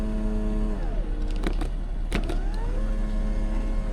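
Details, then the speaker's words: 2018 Lexus RX350 right rear door; the window motor whirs freely, pitch sliding down then up, with no glass moving, after a popping noise as the regulator cable broke; needs a right rear window regulator. "so that's just the motor spinning but the cables that works on the regulator and pulls the window up and down pretty much um just broke"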